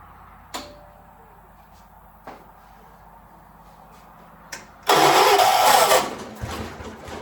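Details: 1976 John Deere 300: a few isolated clicks, then a short harsh two-second burst that dies without settling into a run; hard starting.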